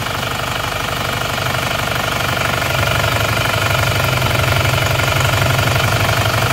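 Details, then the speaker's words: Isuzu Panther diesel, before repair, morning idle: rough, uneven, heavy pulsing chuff about four a second; oil filler cap shows heavy smoke, blow-by confirmed; after teardown, rings stuck on cylinders 2 and 3. "Jadi asapnya menyembur ya. Pada saat pagi hari asapnya sama tekanan udaranya sudah menyembur."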